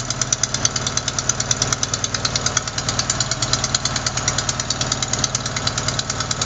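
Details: Sharp, even ticking about three per second over steady idle; not lifters or rocker adjusters but a leaking exhaust manifold gasket at cylinder 4, which replacing the gasket should fix.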